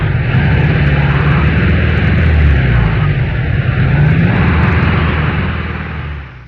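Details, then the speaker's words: Air-cooled Volkswagen flat-four revving high with an uneven, stumbling beat and dropped exhaust pulses: a misfire that appears only at high rpm. "engine with a high RPM miss."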